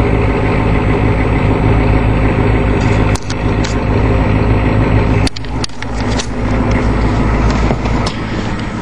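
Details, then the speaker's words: 1987 Ford E350 motorhome, naturally aspirated 6.9 IDI diesel, 220,000 km, started after sitting two months: loud clattery idle holding a fairly steady beat with a couple of brief dips, otherwise running normally. "oh yeah that's at 6.9 for you sitting two months by idle"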